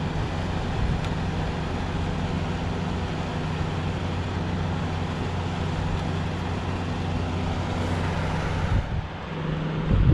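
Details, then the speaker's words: Kool King window air conditioner, 2020 first startup after cleaning (clean filter and evaporator), running on low fan with the case off; steady low hum and even whoosh of air from the blower, no rattles or scraping, normal fan running. "my fan because the case isn't on you can actually hear the whirring sound from the flower"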